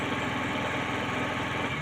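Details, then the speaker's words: Suzuki Forsa with points-type distributor, high fuel use and suspected spark leakage from coil or distributor to plug wires: uneven lumpy idle dropping pulses, as if one plug is dead. Rough idle misfire. "Sepertinya...sepertinya ada yang salah tembak, teman-teman. Dan ini tidak stabil, teman-teman. Ya, seperti ada busi yang mati."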